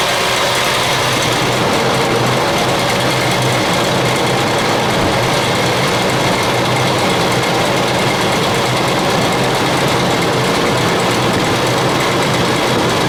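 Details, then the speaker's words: 2000 Ford Expedition 4.6 V8 at idle, before repair: steady loud running with a dense, fast, constant clattering rattle. The timing chain is rattling. "let you have another one more listen to it of that clicky click sound"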